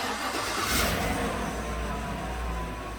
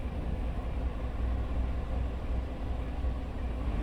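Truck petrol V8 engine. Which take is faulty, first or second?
second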